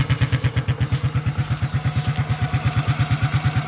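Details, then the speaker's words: Rebuilt Honda Biz C100 single with a new exhaust, heard on a rainy day: steady idle at about three pulses a second with a faint extra clatter on each beat; the owner is unconvinced and plans to block the exhaust to find the source. "aunque no me convence mucho como suena hace un poquito de ruido"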